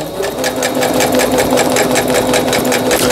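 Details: Singer Stylist 7258 sewing machine after repair of an E4 stop-mid-sewing error, a misaligned lower-shaft gear, a sensor fault and a slipped timing belt; straight stitching produces fast, even needle chatter at a steady rate, with no knocking or grinding. Normal.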